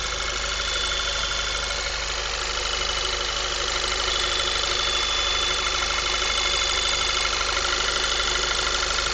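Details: 2010 Volkswagen MKV 2.0 TSI, about 1000 miles, APR stage I and Neuspeed intake, warmed up after driving: thin steady high-pitched whine over an even idle, suspected failing water pump: high-pitched whine at idle.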